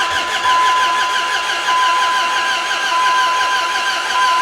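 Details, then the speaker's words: Dodge Ram 1500 with a replacement 4.7 HO engine from an 03 or 04 Jeep Grand Cherokee (JTEC ECM), battery charged and codes cleared: steady slow cranking drone with a thin whine, engine turns over but never fires. "i got nothing don't sound good either this ain't good i think i got me a dead horse"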